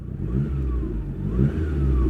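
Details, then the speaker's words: Standard 1994 Lancia Delta HF Integrale revved in neutral after start-up: two quick blips, clean even note, no knocks or rattles, a bit quieter than the 1986 Audi quattro; healthy revving. "It does sound a bit quieter than the Audi."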